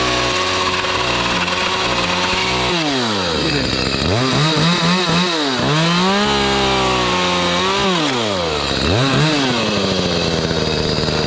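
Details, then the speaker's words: Echo CS310 chainsaw after carburettor cleaning and tune-up to cure no-start, no-idle, no-cut, cutting pallet wood: crisp high buzz revving up and dropping between cuts, clean pickup and steady pull; runs healthy. "got cs310 Echo running good uh cutting everything's hitting"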